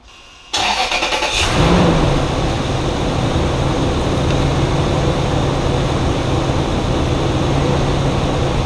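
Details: High-mileage Lexus GX470 2UZ-FE, first start after timing belt, water pump and valve adjustment, coolant topped up for self-bleeding: cranks briefly, catches cleanly and settles into a smooth idle with no knocks or ticks. Normal start and idle.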